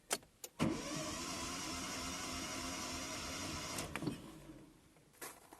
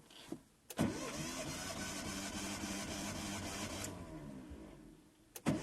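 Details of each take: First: Hyundai Verna 1.5 SOHC with a misfire, cranking: fast, even starter whir with no compression chuffs, as if all plugs were out; cylinder four reads about 58–60 psi, low compression. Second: Hyundai Verna 1.5 SOHC with misfire, compression test with gauge in cylinder 3: steady even cranking chug in two spells, reading about 157–160 psi, normal, versus about 60 psi on the low cylinder.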